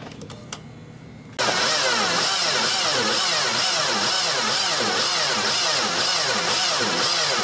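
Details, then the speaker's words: 2002 Mini Cooper 1.6 with new battery and new starter, no start: very slow, laboured cranking about one turn per second as if binding; caused by a seized alternator. "right cool okay obviously very very poor cranking engine and again the battery is new starters new"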